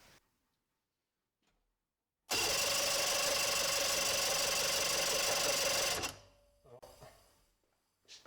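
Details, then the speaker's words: 1995 Sea Ray Sea Rayder Sportjet, 120 hp two-stroke vertical engine driving jet pump: starter whirs steadily about four pulses a second but engine never fires; no spark at all, wiring suspected. "it seems we have no spark at all so I don't know if there's some conglomeration of all those wires we got to fix up or"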